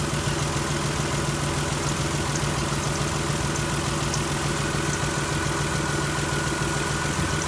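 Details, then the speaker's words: 2001 Chrysler LHS 3.5L V6, rebuilt without replacing hydraulic lifters, idling just after adding TriboTex oil additive: steady idle with light fast ticking about three a second, pointing to a noisy hydraulic lifter. "this engine uh was rebuilt at one point and um time we were in a little bit of a hurry we never did change out the hydraulic lifters"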